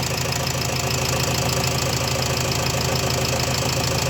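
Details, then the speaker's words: Renault Trafic 2 / Opel Vivaro 2.0 M9R780 diesel after replacing failed piezo injector and re-priming pump; smooth even idle clatter, no more vibration, exhaust sound back to normal. "mais là le bruit est vachement vachement fluide ça vibre plus comme avant tout est rentré dans la normal voilà le bruit fluide même d'échappement on a retrouvé un bruit correct"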